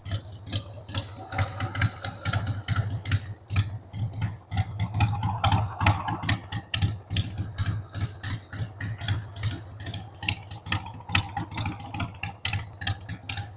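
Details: 1993 Harley-Davidson Sportster 883 Evo V-twin, stored about 15 years, just started on starting fluid with a dead battery: an uneven, hunting idle with irregular pulses about two a second and a loose rattle. The owner says the carb needs cleaning.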